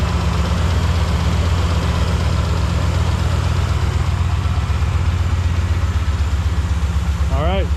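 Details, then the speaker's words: 2005 Lincoln Aviator V8, which had a top-end knock from the passenger side, after replacing the lash adjusters and changing the oil: smooth, even idle with a steady low rumble and no ticking or knocking; sounds healthy. "Went ahead and put some Lucas oil stabilizer in it, and then just Motorcraft synthetic, and it sounds awesome, no problems."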